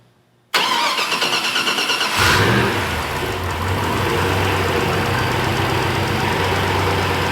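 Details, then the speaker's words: Off-road 6x6 build heard for the first time with its newly fitted exhaust. Quick crank, clean catch, brief rev, then a deep, even idle with no leaks or rattles; sounds great. "sounds pretty good I like that a lot [Music] that sounds amazing"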